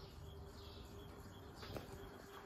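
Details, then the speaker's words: Winco Wattmaster ceiling fan, made in Hong Kong: steady hum with faint scratchy chirping from a rough bearing full of gunk and dirt; oil added in the hope it wears in. "bearing's a bit rough hopefully the oil that i'm putting up will wear in soon"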